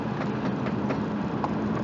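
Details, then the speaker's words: Subaru Forester driven on road, noise in right front that suddenly worsened: sharp clacks snapping away over road noise under throttle/load, a bit worse with wheel turned right; wheel torque checked; suspected worn outer CV joint, possibly a brake pad. "mean it is just snapping away and i've already checked the torque on the wheels it seems to load up a little bit more when i crank the wheel to the right but it's really on throttle"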